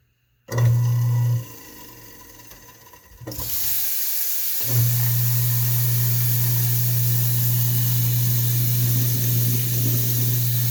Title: Garbage disposal making noise